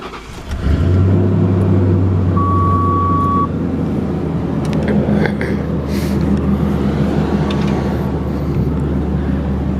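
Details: V8 with exhaust through Flowmasters, first cats on the header retained and other cats hollowed out: catches after short crank, settles into deep, steady, even burble; normal exhaust note.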